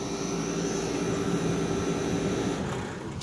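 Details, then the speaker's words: Vintage Day & Night air conditioner, old reciprocating compressor, three-blade condenser fan, before cleaning: steady airy fan rush over a low motor hum that fades in the last second as the unit switches off; normal shutdown. "there it goes there's the fan blades so here it is off three fan blades"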